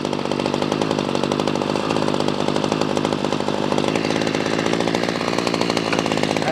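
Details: Ryobi CS26 two-stroke string trimmer after carburetor replacement for no-start: crisp, steady high-revving buzz at full throttle without stumbling or surging; pulls clean, healthy.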